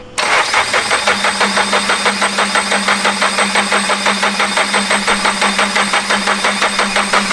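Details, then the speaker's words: Toyota GR86 first startup attempt after JDL turbo kit install, after priming; engine turns over with steady rapid ticking over a hum but never catches, owners puzzled by a metallic hitting sound; weak battery later found, car jumped. "What is that? Bro, it sounds like metal's hitting or some shit. Or like a tube. I don't know what that is."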